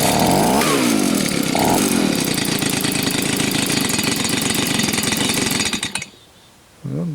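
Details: Old Stihl leaf blower after carburetor cleaning, during tuning: revs buzz high, then sag, stumble and die when left to idle; stalling at idle, carburetor mixture still off.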